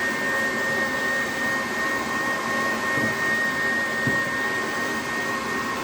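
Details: HP EliteDesk 800 G2 SFF desktop with power supply fault, turns on and off repeatedly: supply fan runs flat out before the computer is switched on, steady loud airy rush with a thin constant whistle, never varying.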